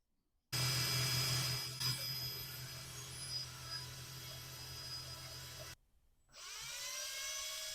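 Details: 1980 Yamaha QT50 moped speedometer after lubing the cable and gauge's moving parts with multi-purpose oil: a steady drill hum spins it, with no squeal or whine from the gauge, fixing the earlier loud whine.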